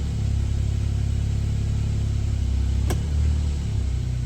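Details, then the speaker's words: 1996 Suzuki Jimny JA22W, K6A turbo engine, cold start: deep, steady low rumble with even pulses and no knocks or misses; idling smoothly, slightly fast as expected when cold. "As you can see, idle's really good from cold start."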